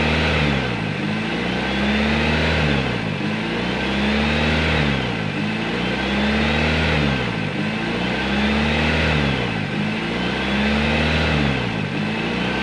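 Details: Nissan Grand Livina L10 engine idling during scan-tool idle air volume relearn: steady even idle with faint slow rise and fall in the hum, no knocks or misses; healthy.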